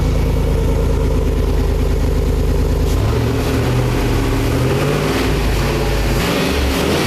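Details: Chevy V8 swapped into a BMW, last run on the test stand before pulling the engine: deep lumpy idle with a couple of throttle blips, smooth and even. Normal V8 idle.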